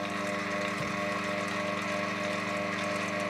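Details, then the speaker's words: FAAC 770N underground gate opener motor, failed after about a year, run on the bench with nothing attached and no load: steady buzzing hum with uneven, lumpy undertone; internal motor fault suspected. "that still sounds rather off with nothing attached and no load on the motor so that which made me to think that there's something wrong with that motor"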